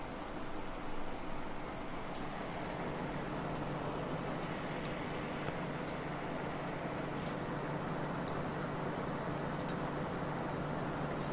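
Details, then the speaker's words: A homemade radiator-based heat-pipe CPU cooler at idle, CPU at 37°C, makes sharp, irregular ticks and pops about one every second or two over a low hum. The water coolant inside is probably boiling. "This sound is similar to that made when using water for coolant and that water boils. Can't see inside, but probably the water in the coolant is boiling."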